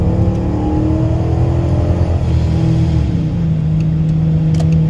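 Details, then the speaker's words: 2014 Dodge Charger R/T AWD with D1SC ProCharger (530 AWHP) and 3600-stall FTI torque converter, custom Flowmaster exhaust, launching somewhat aggressively: RPM jumps and holds high while road speed lags, then settles; normal high-stall converter flare on launch. "if you if you kind of notice how quickly the RPMs went up compared to the to the speed"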